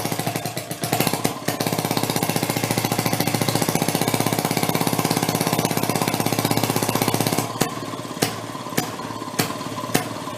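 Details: 1937 Maytag two-stroke washing-machine engine: switched from closed to open, rapid popping at about four beats a second faltering into scattered misses near the end, kicking out fire; breaking up, owner hopes rings aren't burning up.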